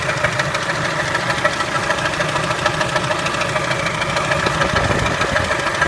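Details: Engine knock at idle on a Kia Spectra: sharp, regular internal knock about three times a second over an even idle; cause unknown.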